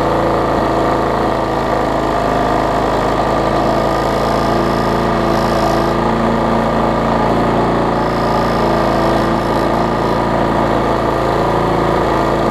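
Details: Bolens 21-inch mower, Briggs & Stratton 500 series, built April 2012, smoking: constant buzzing drone with a shaky, vibrating edge that never smooths out; bent shaft plus internal engine damage, barely usable.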